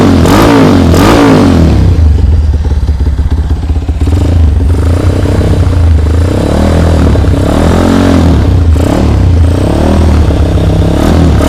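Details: Honda CB100 custom build, SND carburetor, cheap full-stainless exhaust: loud deep single-cylinder thump with throttle blips rising and falling cleanly; runs strong and even, normal idle and revving with noisy exhaust.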